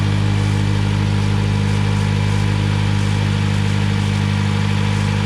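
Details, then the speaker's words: 2008 Mitsubishi Lancer at idle just after a coolant system refresh: new water pump, thermostat, upper and lower radiator and heater hoses, fresh oil change, bleeding with heat on full; steady even low drone, no misses, knocks or squeals, fan rushing behind, a healthy idle. "All the hoses are done. New water pump in, new thermostat, fresh oil change. So now let's crank it up."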